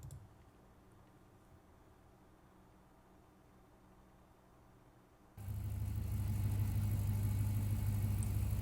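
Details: Dodge SRT8, 6.1-liter Hemi, 100,000 miles, wrecked but run-and-drive at auction: after a quiet start it settles into a steady, even low idle with no knocks or misses; sounds healthy.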